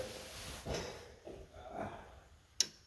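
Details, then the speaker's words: Ford 555D backhoe diesel with rebuilt injection pump, key turned to run: single sharp click in a quiet room as the fuel shutoff solenoid pulls in, letting diesel reach the injection pump; working. "yep it clicked okay that's the fuel shut off solenoid allows diesel to flow through to the injector pump and it's how we stopped the uh engine when it started"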